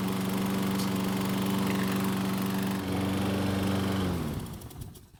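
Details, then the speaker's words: Troy-Bilt mower running with the recoil rope guide held a few inches lower on the handlebar: smooth and steady with no starter pawl chatter, winding down cleanly at shutoff. The lower position stops the recoil from engaging. "so as you can see if we move the guide down just a few inches first you may not even realize that it's been lowered and secondly it seems to be just enough of a change that it's not going to make that terrible sound"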